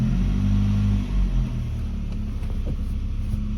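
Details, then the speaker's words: SAAB 900 Turbo at standstill, engine idling with an even rumble and some clacking. After the gearbox oil change, gears (second gear used to crunch on engagement) go in cleanly with no crunch or grinding, much better than before. "kracht nichts auch nicht wow ich meine im Stand ist auch immer ein bisschen was anderes aber die gehen sehr sehr gut rein die Gänge viel besser als vorher"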